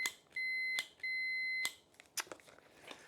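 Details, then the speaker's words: Multimeter continuity test on the cleaned ignition switch of a 1968 Land Rover Series 2A, negative earth: two clean, solid high beeps without dropouts reading zero ohms, then light clicks; contacts much better than the intermittent beeping before cleaning. "You can hear the beeping just almost not beeping and then beeping and then Yeah. So definitely a lot better."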